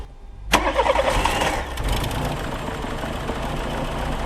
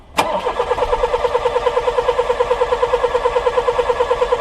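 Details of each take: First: Older VW Polo 1.4 petrol with a no-start, after troubleshooting: a short crank, then it catches at once and settles into a steady, even idle with no misfire; now starts normally. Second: Older VW Polo 1.4 petrol that won't start: two cranking bursts of about five and two and a half seconds, starter chugging evenly but never catching; spark to be checked next, cause not yet found.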